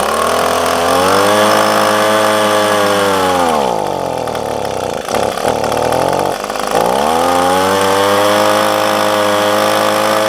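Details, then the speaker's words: Echo PB250LN handheld two-stroke blower, full tank: starts fine, but once at operating temperature it bogs and cuts out past about half throttle; revs up, then sags and stumbles; fixed with a tune-up kit. "got up to running temperature and as soon as I get to pass about half throttle and I try to keep squeezing it it just it just cuts out"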